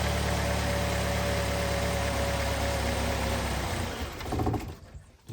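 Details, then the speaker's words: 2005-2010 Chevy Cobalt, fuel pump relay pulled while running to relieve pressure before fuel filter replacement: steady idle holds about four seconds, then stumbles, sags and dies as fuel pressure drops. "so go ahead and start it and then go ahead and pull that relay out should die on you"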